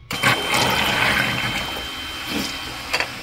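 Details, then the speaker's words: Westerbeke marine generator set, checking the bilge and high-water pumps (backup should trigger an alarm): steady high electric whine with water gushing and splashing through; pump running normally. "Pump works. Make sure our high water pump works. Backup should give us an alarm."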